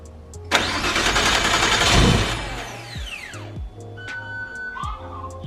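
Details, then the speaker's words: Nissan Skyline inline-six turbo engine first start after rebuild: fires quickly to steady even idle, turbo sounds good, no head noises, injectors very loud; fuel pressure and AFRs good, coolant 128°F, oil pressure 5.3 bar; normal start and idle. "all right so far so good turbo sounds good no crazy noises in the head but the injectors are super loud"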